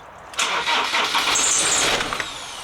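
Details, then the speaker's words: Ford Transit diesel that starts and then cuts off every time: a short crank, catches and runs roughly under two seconds, then sags and dies. Owner suspects glow plugs if cold, air in the fuel, or the ignition switch; not confirmed. "just cuts off every time just won't won't won't stay started"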